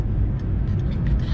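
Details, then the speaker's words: Car driven over potholes after the owner traced a clunk suspected from the stabilizer bar or end link: only a soft low road rumble, no clunks or knocks. The noise is gone. "Olha só galera já era graças a Deus o barulho parou chegando nos buracos graças a Deus menos um problema né galera"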